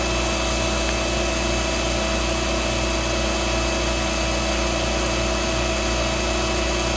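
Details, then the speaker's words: Hoover Dial-A-Matic 1136 vacuum running: steady motor whine with a coarse, rough rattling hum underneath; the brush roll is what sounds bad. "So it's the brush roll that really sounds like crap."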